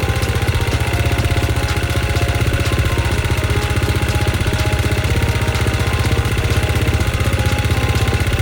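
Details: KTM XC-F, started after boosting the battery once it cranked fast, with a cold-start device, ahead of top-end ring break-in: steady, even thumping with a regular firing beat and no misses. Normal running.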